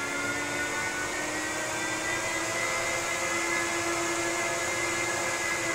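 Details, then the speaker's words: Apple Xserve salvaged from e-waste, upgraded with an SSD, just powered on: even, unbroken high-speed fan roar with steady whine, no rattles or wavering; normal fan noise at power-on. "yep that definitely sounds like a server to me"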